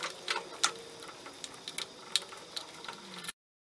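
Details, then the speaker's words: Troy-Bilt four-stroke backpack leaf blower from the trash, previously locked up, turned slowly by hand: irregular sharp metallic ticks, about forty a minute; broken piston, with a fragment striking the spark plug. "so here's the problem got a very it was locked up but it sounds like it's blowing up"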